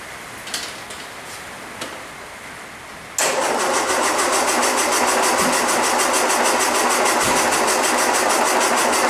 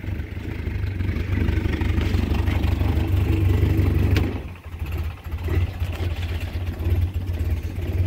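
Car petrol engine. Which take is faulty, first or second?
first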